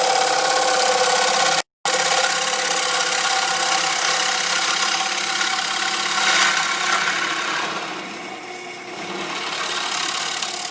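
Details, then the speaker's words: Woodturning on a lathe, tool moving from sound wood into a heavily cracked section about 5/8 in thick: steady rasping cut thins and lightens as it crosses the crack, and a chunk breaks out. "Oh, and you can tell already that there was a crack, because here is a piece that flew out."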